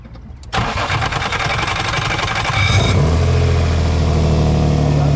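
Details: 2003 Nissan 350Z cranking with a harsh, gritty grind for about two seconds before catching and idling, which began after an oil change; starter suspected and being replaced.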